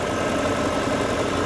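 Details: 1987 Pontiac Trans Am GTA with 700R4 transmission, warm idle after an under-hood safety check: smooth, even low rumble with no knocks or misses. Healthy engine, no burnt-oil smell or leaks; only a cracked radiator core support mount.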